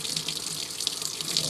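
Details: Samsung 7.5 kg automatic washing machine showing error code 4E: steady hiss of water filling the tub with no agitation. It fills, then drains without washing.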